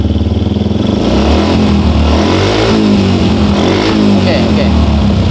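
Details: Old Yamaha Jupiter MX single-cylinder tested with the suction hose removed and blocked: steady, even low putter at idle with no stumbling; starts more easily and runs cleanly.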